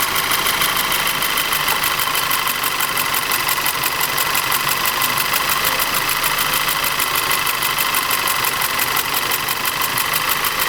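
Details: Audi TT 2.0 TFSI engine with uneven, stumbling idle and a ticking knock over a hissy note; diagnosis found low compression and ignition misfires in the same single cylinder.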